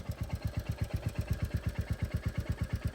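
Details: New 2025 Royal Enfield Classic 350, after second service, idling: steady single-cylinder thumping about eight beats a second with a light metallic tick-tick on each beat; local mechanic says tappet noise.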